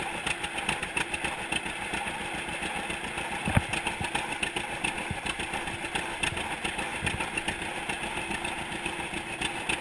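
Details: 1942 John Deere Unstyled A conversion, engine formerly stuck, on its first start after new spark plug wires (GoPro in waterproof case): slow, loping two-cylinder putt-putt, steady beats, no knocks or clatter; running healthy.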